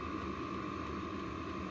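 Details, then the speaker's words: Diesel heater with a quieter fuel pump, a different muffler and added sound-deadening foam, running on high with the mic about 3 ft away: an even, steady whir with a constant fan tone and soft combustion roar; normal. "It helped a little bit. I don't know if it was that substantial of a change, but I guess every little bit counts. That's running on high."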